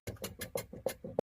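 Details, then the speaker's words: Renault Duster/Dacia door squeaking on opening and closing: short creaky squeaks, about three a second as the door swings. Lubricating the hinges didn't help; loosening the door stopper (check strap) silenced it, so the dry door stopper is the source. "Door stopper loose ആക്കിയപ്പോൾ sound ഇല്ല എന്ന് മനസ്സിലായി അപ്പോൊ door സ്റ്റോപ്പറിന്റെ ഭാഗത്ത് നിന്നാണ് sound വരുന്നത്"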